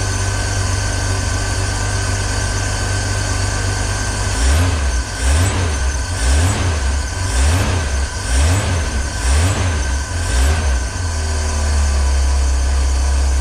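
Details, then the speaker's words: 1965 Ford Econoline van stored since 2011, float bowl refilled by hand, carb base gasket seeping: engine surges unevenly about once a second then sags and dies as the float bowl runs dry, confirming no fuel coming from the tank. "oh did it just run dry [Music] yeah okay so that was just the float Bowl so we were correct and assuming that nothing was coming up from the tan"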